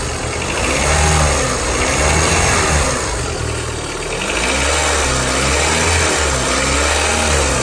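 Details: 2001–2005 Honda Civic LX engine making a strange noise when accelerating: revs rise and fall with a rough whirring rattle that follows engine speed, caused by a worn-out, failed timing belt tensioner.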